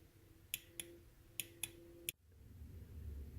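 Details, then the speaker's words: Fuel injector from a BMW E36 M3, bench tested on a 12V battery: five crisp single clicks about half a second apart as the valve opens each time; injector clicking normally. "every time I give the injector power you will hear it click on and and that means that it would spray there's a valve in there that goes on and off"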